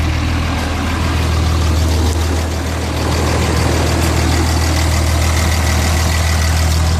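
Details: 6.7 diesel at idle: deep idle with a lumpy, uneven pulse around 200 a minute that never settles into a smooth beat; rough idle, cause undetermined.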